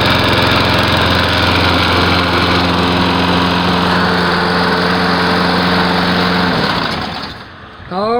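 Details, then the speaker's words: Lawn mower after its carburetor jet was cleaned: the small engine holds a smooth, steady drone at constant speed with no misses or surging, then winds down cleanly at shutdown; it now runs like a dream. "So that's what I fixed and found out was wrong with my mower. Fixed it back together and she runs like a dream."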